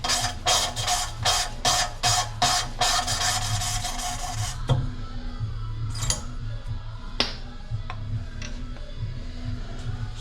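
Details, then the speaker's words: Rover/TVR V8 cylinder head with distorted seats, lapping a valve in by hand with the valve lifted slightly to draw in more carbon grinding compound: rhythmic gritty strokes whose coarse rasp dies to a softer rub as the carbon breaks down; seat ground in. "but then as you can here it loses its sort of coarseness like that and that's the carbon and breaking down and normally as soon as you hear it disappear and then just naturally pick a bit back up that's the seat ground in perfectly"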